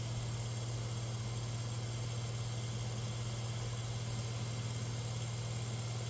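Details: Round-grille 1970s/80s Limit Ariel 12-inch Spanish oscillating desk fan, on medium drawing 69.1 watts and about 1161–1180 ft/min airflow. Steady motor hum with a faint rhythmic scraping: winding insulation rubbing on the rotor.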